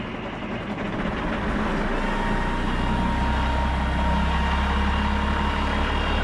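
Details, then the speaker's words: Road grader's rebuilt 8.3 Cummins diesel at a steady, slightly lumpy idle that smooths over time. Still a long crank to start. Owner suspects the injection pump advance is hanging up; Seafoam fuel treatment added, runs better and better, earlier knocking went away. "I think the advance and everything's hanging up in the pump. I really do."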